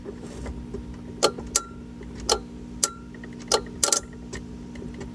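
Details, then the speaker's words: Schwintek RV slide that wouldn't extend: sharp, irregular clicks every half second to a second over a low electrical hum, coming from under the inverters while operating the slide or jumping the wire; owner suspects a resettable fuse; fixed with a new ground. "clicking sound when we were trying to put the slide out or I try to jump the wire and I'd hear it from underneath our inverters right here."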